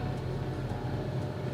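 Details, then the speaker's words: 2012 Honda CR-V K-series four-cylinder right after a VTC actuator replacement for a cold-start rattle. The engine settles straight into a smooth, even hum with no rattle; a normal start-up. "sounds good let's take a step for a drive"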